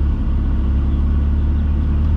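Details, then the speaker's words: Abandoned Mazda Miata project after fitting the serpentine belt accessory system: a low labouring rumble holds about two seconds, then the engine bogs and stalls abruptly to quiet. "well of course it just bogged out and died so yeah nothing yep that's not what happened"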